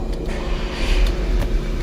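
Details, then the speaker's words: 2011 VW Tiguan 2.0 turbo crank no-start (code 01259), fuel pump module pins jumpered, fuel pressure about 150 psi: low, even running rumble with no stumbling; dies about a minute after the jumper is removed; bad fuel pump module/pump suspected. "here we go we fired right back up and like I said if we take this off after about like a minute or so it'll die"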